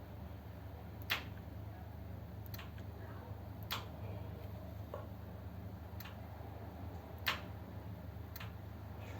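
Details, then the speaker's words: 1932 two-door sedan, overdrive not working after being parked: fourth gear switch disconnected and temporary wire grounded, flicking the switch gives six sharp relay and solenoid clicks over a low hum; both pull in normally, fault lies in switch or ground wiring. "so when I flick the switch it works you can hear the relay clicking and the solenoid clicking"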